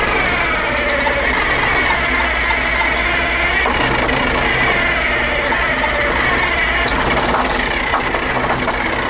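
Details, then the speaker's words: Old Detroit Diesel in an abandoned vintage GMC truck runs rough, clattery and uneven, barely holding on; the fuel pump seems good and the owner suspects old fuel, but the cause was the emergency intake air shutoff valve stuck shut, starving it of air. "I don't know, man. I feel like diesel fuel will run in a lot of different situations. Man, it just don't want to run."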